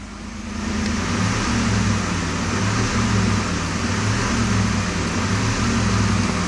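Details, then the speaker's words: 1992 Mercedes S600 V12 in induced limp mode, ASR light on: light throttle does basically nothing; flooring it, revs climb slowly then hang at a steady drone, engine struggling to rev up. "I'm pressing on the gas basically nothing happens but if I press [Music] more and you hear how difficult it is for engine to accelerate to rev up"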